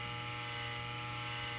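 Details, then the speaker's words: Original Cofan 70 mm cooling fan in Tivo Series 3 HD (TCD652160), worn, replaced for weird sounds: steady loud whirring hum with fixed high tones, noise said to fade once fan slows; loud fan whirring. "decided to replace it that loud noise actually that loud noise goes away after it slows down but i felt that that was a sign"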